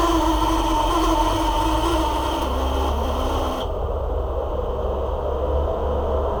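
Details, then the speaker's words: Hair dryer, possibly a Parlux 2800: small motor runs with rough labouring hum and uneven rumble instead of clean whir; motor stiff to turn, likely dry bushing after long disuse. "tá me parecendo mais gente que esse motor tá meio que pesado para rodar por isso que eu tava fazendo esse barulho tô vendo aqui ó que ele não tá tão livre para rodar né provavelmente embuchamento tá fazendo frente ele tá ressecado"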